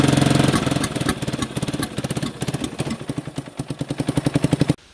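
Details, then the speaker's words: 1989 Yamaha Big Bear 350 ATV after sitting 10+ years, timing checked and correct, no knocking, possible exhaust leak: uneven chugging idle breaks into ragged pops with a touch of throttle, then the engine dies; backfiring and stalling. "I can give her a touch of throttle. Then she starts backfiring and it will die."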